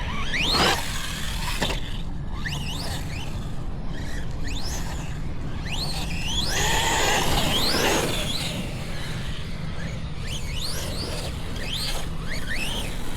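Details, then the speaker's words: Redcat Valkyrie RC car on 6S with new Hobbywing ESC and motor combo, previously overheating: high squeals sweep up and down with each throttle burst over motor and tyre noise; gear mesh possibly too tight, suspected. "Yeah, it just doesn't sound right. Oh, you know, I kept having a problem with that gear mesh tighten"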